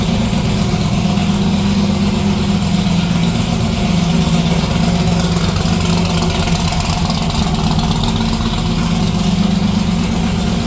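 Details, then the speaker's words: '57 delivery at idle with new exhaust: loud deep burbling with uneven loping beat, roughly three pulses a second, steady; healthy engine, loud exhaust, lumpy idle. "Well, it's pretty late, and as you can see, that thing's still pretty loud, so figured I'd give it a listen, but we better call her quits for tonight so we don't get the whole neighborhood pissed off."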